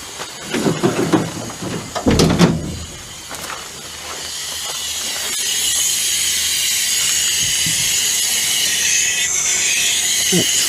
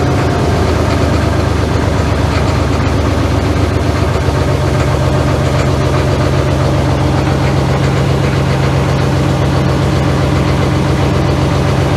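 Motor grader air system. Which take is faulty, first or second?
first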